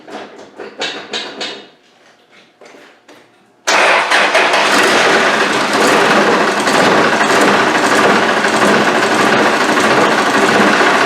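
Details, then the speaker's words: Isuzu 4BD1T turbo diesel in a Land Rover Defender, cold start in a roughly 19° shop before a compression test: brief cranking, then loud, uneven clatter that lumps and stumbles. Owner says it always starts like this cold and picks up once warm. "it's always started like this when it's cold look at it you hear it picks up once it's warm"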